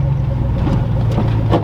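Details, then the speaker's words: Lincoln with a locking rear differential, slow parking-lot turn off throttle: steady low rolling drone, no chirp or clatter from the rear; locker unlocks normally off throttle and locks with a chirp on throttle. "so I'm off throttle it's turning normally on throttle you hear a chirp yeah dude that's sick it unlocks and then it locks when you get on throttle"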